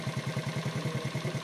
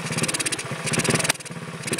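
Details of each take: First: Honda ATC 70 single-cylinder with a muffler welded after the stock header, points ignition, starts easily, no smoke; steady even low putter about ten beats a second at idle; normal idle, though it bogs and won't take throttle. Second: Honda ATC 70 engine, valves freshly lapped, starts easily and idles but won't take throttle, points adjustment changes nothing: small chugs, then ragged surges with sharp pops when revved; popping back through intake, cause unknown, not a burnt valve.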